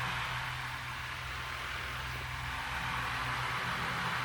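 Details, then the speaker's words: Goodwill Lasko fan, noisy at power-up, after lubrication failed and the blades were rebalanced: steady even low hum and airy rush with no wobble or thump. Normal running; it was a balance issue. "all I can say is wow apparently this was a balance issue here goes"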